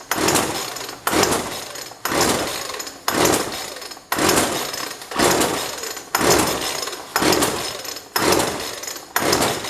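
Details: Jonsord 2036 Turbo chainsaw, no primer, choked: rasping recoil pulls about once a second, none catching or even sputtering; no fuel reaching the engine due to a disconnected fuel line.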